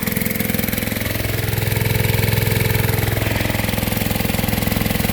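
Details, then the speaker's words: Gold dredge pump small engine after cleaning carburetor jets, run on nine-month-old gas from last year: pulses near 210 per minute with slightly lumpy, uneven beat, running rough; new fuel made a big difference. "But tried running it on last year's gas, won't run. Imagine that."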